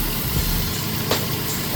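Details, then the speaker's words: 2015 Nissan Frontier 4.0 after replacing an alternator suspected of a failing bearing or stator: first start, no battery light, steady smooth idle with no squeal, chirp or bearing rumble; normal idle. "Engine's running nice and smooth."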